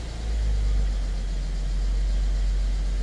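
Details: Mercedes GLE350 after engine mount replacement, started and fast-idling: low, steady, even rumble with no rattle or knock, a smooth, healthy idle.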